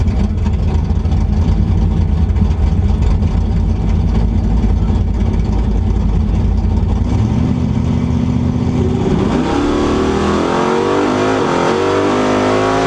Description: Very high misfire over 7k ... 9.78@145mph !! , Too much nitrous !!